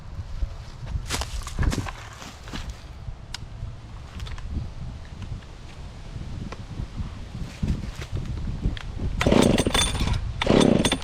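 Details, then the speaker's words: Dolmar 112 chainsaw revived with fresh fuel, chain sharpened, started cold and cutting wood: catches, revs crisply, holds a strong steady snarl through two cutting bursts without bogging; normal running under load. "Next thing I'm going to do, I'm going to take this out and cut some wood with it and see how it performs under load."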